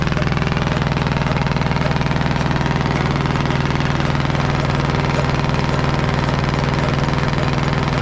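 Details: Caterpillar D8 2U crawler main diesel, first start in its revival after the pony motor was sorted; loud, steady, even beat at about four pulses a second with a deep drone, no misses or knocks. The motor sounds fantastic. Normal diesel running.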